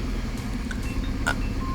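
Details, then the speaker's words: Ex-taxi petrol engine at idle after swapping a spark plug: lumpy, uneven rumble with the whole engine shaking, misfire persists; ignition coil or injector to be tested next. "And as you can hear, it still sounds relatively the same. Yes, man. It still obviously has a misfire. Everything in the engine is shaking."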